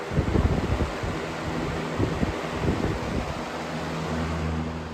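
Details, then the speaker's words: Lakewood 225 Premium Select box fan on high speed, bearings previously oiled; loud even rush of air with low motor hum, much louder than the Lasco Cool Colors and pushes a ton of air; normal operation. "I never really liked running it on high just because of the noise. Definitely way louder than the Lasco Cool Colors, but it's definitely more performance than the Cool Colors on high."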